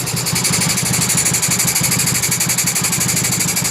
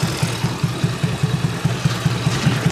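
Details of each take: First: Honda Beat carburetor scooter with high fuel use and abnormal idle; steady airy hiss like an air leak at the carburetor over a fast, even idle; faulty automatic choke. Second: Carbureted Honda Beat scooter, over 8 years old, after fixing the faulty automatic choke: steady even idle with no huffing, no stumbling, and it keeps running even with the hole covered; normal idle restored.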